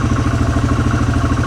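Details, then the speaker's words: 2006 Polaris Hawkeye 4x4 ATV, single-cylinder, started cold on choke after sitting 10 months. A steady light knocking from the clutch rides over the engine thump at idle. "so he's idling with the choke on and then now you can probably hear that clutch knocking"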